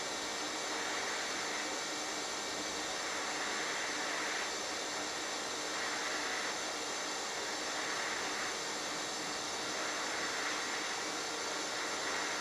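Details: HitBox 200A dual-voltage 110/220 TIG/stick welder set at 70 amps, sharp tungsten: smooth, constant high hiss with no crackle, pops or sputter; stable, consistent TIG arc.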